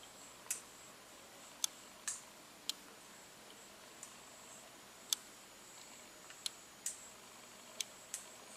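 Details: Sony NEX-5N mirrorless camera body giving sharp, high-pitched clicks at uneven intervals, about ten in nine seconds; the clicking remained after a service-centre repair.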